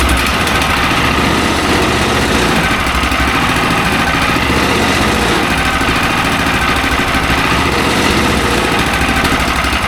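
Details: Mech Maxx SM-22 sawmill's small single-cylinder petrol engine, new, first start on choke: fast, even firing beat at a steady level; runs healthy, fired on first pull.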